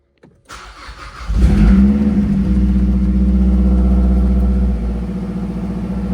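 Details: 2010 Mazdaspeed 3 after swapping the body control module to fix a U0140 code, dash still apart, check engine light flashing: brief crank, catches and settles into steady, even idle, no knocks or misses; normal start and idle.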